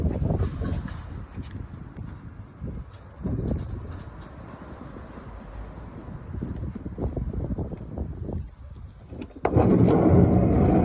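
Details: Toyota HiAce 100-series manual sliding door: uneven bursts of loose rattling and clunks as the door moves, ending in a heavy slam; worn door running gear suspected.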